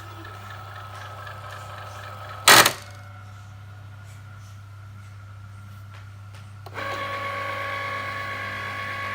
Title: Cricut Explore Air 2 grinding noise